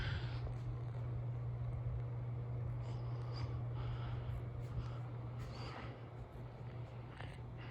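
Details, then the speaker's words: 36-inch Hampton Bay San Marino ceiling fan from January 2002, in kitchen, recently repaired after long-dead capacitor, on medium speed; steady constant low motor hum, cause unclear, owner not bothered. "you can hear it humming a bit i'm not sure why but it doesn't really bother me"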